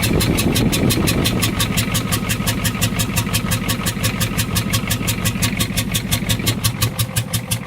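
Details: 6.9 IDI diesel, head gasket suspected: catches and settles into a lumpy idle, clatter pulsing about three times a second with an uneven beat; misfire-type rough idle, cause unconfirmed.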